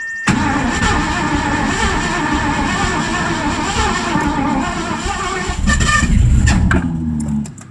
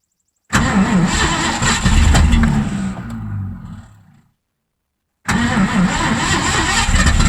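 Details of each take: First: 1984 Mazda RX-7 with swapped Ford V8, new plug wires, fresh fuel primed with 3 pumps: ragged cranking that half-catches, then sharp pops and flames backfiring out the carburetor; weak spark, timing off. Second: 1984 Mazda RX-7 with swapped Ford V8, rebuilt carb, inline fuel filters, patched radiator: cranks and fires into a lumpy steady idle, dies, restarts and holds; oil thinned by gas from sticking needle and seat.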